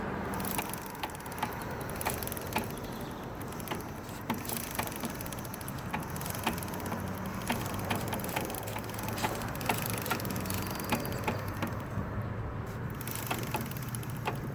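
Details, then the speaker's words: 2003 Suzuki GSX-R600: sharp, loud click repeating about twice a second over a low, steady engine rumble, felt through the bike to the rear; owner thinks it comes from the transmission, cause not confirmed. "all right everybody here's my problem that loud clicking sounds like it's coming from the transmission"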